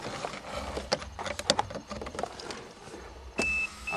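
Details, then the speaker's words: 1982 Toyota Cressida, electric fuel pump after rewiring repair, key on: after handling clicks, a steady high hum starts then pauses as the pump primes and air purges from the system; normal priming. "he the pressure changing she's priming I hear the air purging out of the system"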